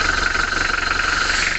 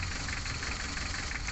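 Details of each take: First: A Mitsubishi L300 diesel after rocker arm replacement, valve clearance adjustment and nozzle resetting: even, steady idle with a regular quick pulse and no knocks or misses. It runs smooth and has more power. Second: Mitsubishi L300 diesel idling rough with a lumpy, uneven knock, vibrating and down on power. Loosening cylinder 4's injector line made no change, so cylinder 4 is the dead, misfiring cylinder.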